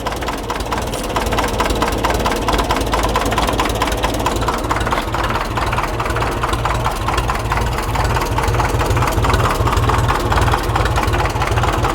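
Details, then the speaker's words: Restored Ferguson TE20 'Grey Fergie' tractor just switched back from TVO to petrol, with good oil pressure: a steady, even low chuff at slow idle, about two beats a second, with no knocks or misses, so it is idling healthily. "Listen to that ticking over."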